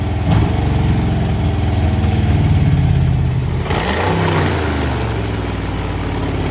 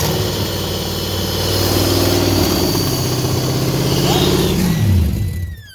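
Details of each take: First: Junkyard Ford Fox-body Mustang 5.0 V8, after throttle position sensor swap and fuel leak: deep burble fires, picks up cleanly on throttle and settles back without stumble or sputter; normal start and revving. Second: Junkyard Ford Mustang Fox body 5.0 V8, after spark plugs were installed and a broken-plug extraction, holds a fast, steady idle that won't settle, then revs drop at shutdown; mass airflow sensor suspected, unconfirmed.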